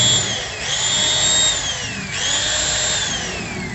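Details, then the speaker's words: Angle grinder with a Modern M-2300B stator fitted to a Maktec MT90 and new CB-459 carbon brushes, first test: a high whine with harsh crackling hiss, speed sagging and recovering; heavy brush arcing on both sides, wrong rotation direction. "dan suaranya juga di sebelah kiri sebelah kanan ini pengapiannya besar semua guys gagal ya guys"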